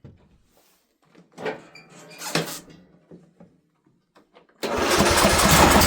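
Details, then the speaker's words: White Outdoors riding mower that sat 2 years after carburetor trouble, battery charged for half an hour: after a few tries and clatter it catches and settles into a strong, even run, a little smoky. "Well, there we go. Little smoky. Take it out and see how it mows. Running good."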